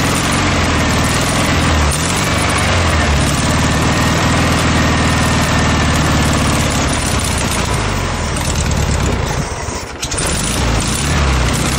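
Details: Air-cooled VW Beetle flat-four on junkyard VW motorcycle build, running gas from a remote tank: loud steady low chugging idle, brief dip near end; runs cleanly.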